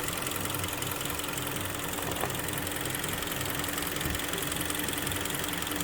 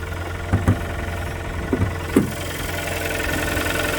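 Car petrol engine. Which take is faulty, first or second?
second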